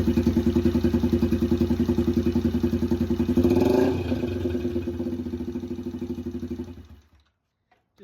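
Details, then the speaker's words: Yamaha TTR 90 single after top-end rebuild, short electric-start test run because of the oil situation; catches and settles into a steady, even putter, then shuts off; normal start and idle. "like that, our electric start works. Perfect."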